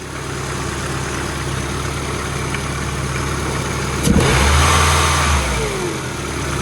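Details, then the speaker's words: Old Ford engine: revs rise and sag rather than holding, louder surge midway; unstable revs, owner suspects a vacuum leak, plans to change injectors and throttle body one at a time. "see how the Reds hold up hover vacuum leak or what that's why I want to change injectors"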